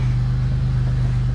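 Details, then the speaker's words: Pontiac GTP at idle with a blown-out muffler that has a huge hole in it: loud, deep, droning unmuffled rumble with steady exhaust pulses. Exhaust leak. "But it has an exhaust leak. The muffler blew out in it, so... and I don't like it."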